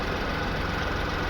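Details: VW Polo petrol engine after fuel pump wiring fault fixed, crank-no-start solved: briefly missed after starting, then low even idle hum with no stumbles; running steadily.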